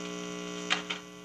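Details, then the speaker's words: AR2 radio with a bad-ground hum: steady low mains hum with two sharp clicks, and the hum drops once a wire is pressed against the chassis, showing that wire dressing and a missing ground cause the hum. "now you can hear that hum now I'm going to go ahead and press on this wire right here up against the chassis and you'll see what happens now just kind of listen to it"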